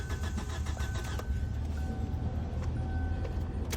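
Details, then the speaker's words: 2007 Kia Sportage 2.0L cranks at an even, steady rhythm but never fires; fuses, ECM main relay checked and control board replaced without change, power to crank sensor being checked. "Yeah, we are working on 2007 Kia Sportage. Car will crank but won't start. Can hear it's cranking but won't start."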